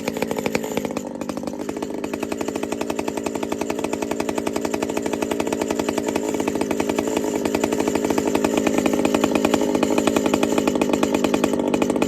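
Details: Pioneer P-41 chainsaw with big bore kit, running after repair: crisp even two-stroke buzz, steady rapid firing that builds and holds without sputter or bog; slightly rich, high-speed needle leaned a touch.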